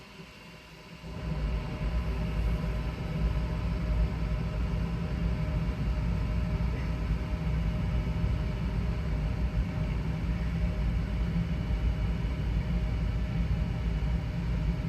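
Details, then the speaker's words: Goodman home furnace after blower (squirrel-cage) motor replacement: the blower starts after a second and settles into a steady, even low rumble with no knocking or scraping. The old motor was suspected to have dropped bearings, letting the armature sag. It now runs normally. "blower there we go all fixed all right so the heater's all fixed"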